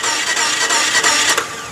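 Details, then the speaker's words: Chrysler PT Cruiser cranked by starter: engine spins quickly and evenly with no compression beats or catching; crankshaft turns but both camshaft paint marks stay still, so timing belt is broken or failed. "all right so like I said you could hear the engine spinning over which means the crankshaft's turning that the two cam shafts up here are not so the belt is broke or something has happened to it"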